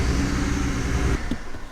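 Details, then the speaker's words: Salvage BMW 335i E92 bought from Copart UK, at idle with engine light on: lumpy, uneven idle with irregular dips instead of a smooth beat; a misfire. OBD shows heater control circuit bank 1 sensor 2 faults, blamed on decats; cause not confirmed. "Yeah, so I'll start up the car and you guys could hear it for yourself, that misfire."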